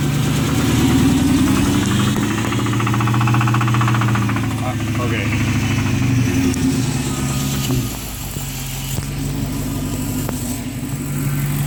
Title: 2006 Charger R/T knocking sounds